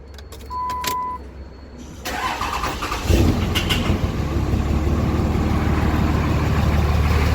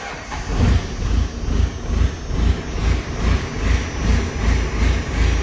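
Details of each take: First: Diesel truck first started after fitting brand-new 50-over injectors: brief cranking, then a loud heavy idle with a hard clattering clack at first start that then settles; it runs. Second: Diesel pickup with brand new 50-over injectors, cold start: loud even diesel clatter firing right up and settling into a steady lumpy idle around two beats a second; healthy start, lots of smoke.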